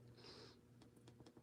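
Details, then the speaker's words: iPad under screen replacement, old screen being transferred to a new one: a single crisp click over faint room noise as the home button is pressed, confirming the home button works before reassembly. "I need to hear the home button clicks. Otherwise, if it doesn't work, then all the job you do for nothing. So you need to make sure that you hear the sound."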